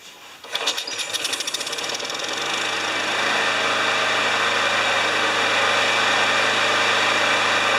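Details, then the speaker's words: John Deere JS30 mower, Briggs & Stratton Quantum engine with automatic choke, started on the stand after the blocked carburetor was cleared with carb spray. The pull-start catches with quick pops and climbs to a smooth, even high-speed run; some smoking and oil in the muffler were noted. "Yes, I'm going to start it on the stand. It's It's an automatic choke. It should just start right up."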